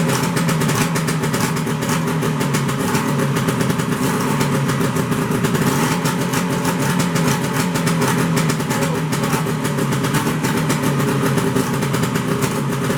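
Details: 1973 Skiroule RT 440 two-stroke snowmobile, first start after unknown storage: very loud, raw, rapid crackling and popping with no muffling, because the exhaust pipe popped off the engine and is missing a spring. An exhaust leak.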